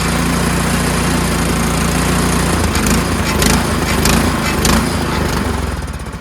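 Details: Troy-Bilt Storm 2410 two-stage snowblower, small single-cylinder, old carburetor after pilot jet cleaned: rapid putter swelling and sagging every second or so, mild governor hunt, better but still surging; owner suspects governor tension spring.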